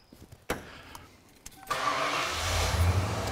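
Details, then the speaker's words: 37-year-old Ford Bronco with new replacement TFI-IV ignition module, timing set to 10°, scope connected: quiet clatter, engine catches after a second and settles to a steady, even idle with no stumble; normal start and running. "all right vehicle's running and we'll see how long it runs for hopefully it'll just run forever"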